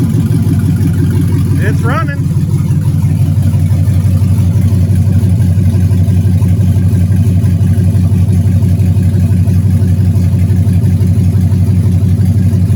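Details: LS-swapped Camaro, long-sitting project now rewired, HP Tuners connected, fuel pump on: steady deep V8 rumble with even firing pulses at constant idle; engine finally starts and runs smoothly.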